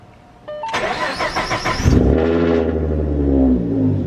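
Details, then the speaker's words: Supercharged (GT500 M122) 3.7 V6 Mustang after throttle body and bypass valve install: starter cranks briefly, engine catches cleanly and settles into a smooth, steady idle with no stumble, waiting for AFR readings; normal start and idle. "much happier all right let's wait for the afr's to click on ah it's so good to hear this car"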